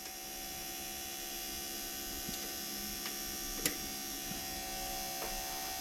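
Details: Air-cooled Porsche 911 Bosch CIS K-Jetronic fuel pump running, engine off, during warm control pressure test with warm-up regulator heating: constant high electric whine and hum, steady pitch, few light ticks; pump healthy.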